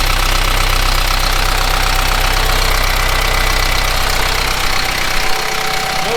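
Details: Kubota M15GX diesel tractor, first runs after an engine rebuild. Steady, even diesel clatter at a fast idle with no puffing from blow-by: healthy running.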